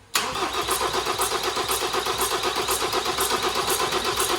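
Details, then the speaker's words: 2017 Ford Transit Custom 2.0 EcoBlue diesel van being test-started after engine rebuild (sump, oil pump, wet belt work), air box off; cranking with about four even puffing chuffs per second. "i can hear it chuffing"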